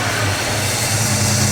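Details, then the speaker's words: 1967 Lincoln Continental V8, first running after sitting 29 years, idling while oil pressure builds before an oil change. It gives an even low rumble, quieter, with the earlier ticking gone, and now runs on all cylinders. "it yeah it's way quieter you don't hear the ticking noise anymore oh yeah way better we getting more oil over there now she's running on all cylinders now"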